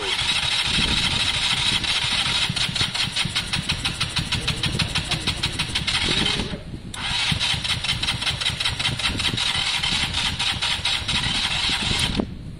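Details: KSR motorcycle after valve adjustment, cranking long and fast with even whirr but never catching despite fuel and starting spray; battery weak; won't start.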